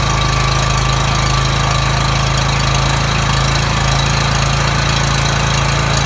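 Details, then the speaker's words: Coleman generator engine after governor replacement (part 277-42201-33), started on choke: even, steady hum near 3600 rpm, tachometer reading about 3590–3615, no hunting or surging; governor holding speed properly. "that sounded wonderful alright so what I did with using this tachometer I got the machine up to 35 I'm 90 and then on the high side it goes up to 39 36 15 so that's right in the ballpark you want"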